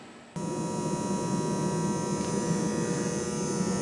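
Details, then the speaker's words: Mercury-vapor shop light installed in 1996, about to be replaced with LED: constant steady low buzz with a fine high edge that runs all night; light otherwise works fine, buzz is just irritating. "That buzz is constant and can be pretty irritating. So that's why it's going to get changed."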